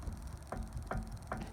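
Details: Car jacked up, front wheel rocked by hand gives sharp regular clunks two or three times a second; play found not in the ball joint but in a worn wheel bearing, which needs replacing.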